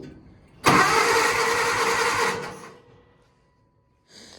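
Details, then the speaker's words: Case tractor after engine swap, sat unused, fuel system not yet hooked up, ether to be used: starter spins the engine briskly and evenly for under two seconds, strong steady cranking, turns over well. "probably just crank it whatever i mean it turns over pretty good"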